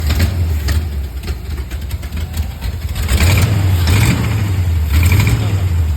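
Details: Chevrolet small-block 350 V8 in a Camaro with lumpy, uneven idle and loping pulse, rising briefly on throttle blips; choppy running with an unidentified weird noise.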